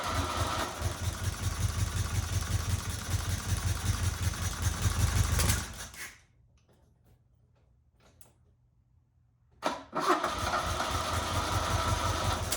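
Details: 1977 Fiat 124 Spider barn find, sat nearly 25 years, restarted with more squirted fuel after running out of gas, no radiator and water pump pulley disconnected: lumpy, uneven idle pulses that die out, then catches again; rough idle, not firing cleanly.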